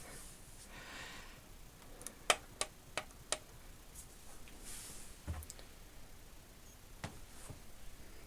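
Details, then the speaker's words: RCA RS2654 shelf system CD changer: four sharp clicks then no spin-up, shows disc fail; unit cannot see loaded discs, traced to dead IR emitter LED, later replaced; KSS-213CL pickup also suspected defective. "disk see fail that's telling me this isn't working I'm a suspect it doesn't even try"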